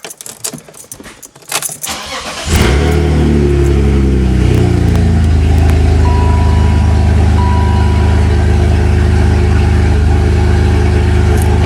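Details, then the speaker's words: 2002 BMW 530i E39 with a bad U-joint, exhaust off so very loud: catches after short crank and settles into steady idle; earlier clinking gone, remaining odd sound thought to be transmission. "all right I don't hear it anymore what that's fine they'd always made that weird little sound yeah I think that's actually the transmission"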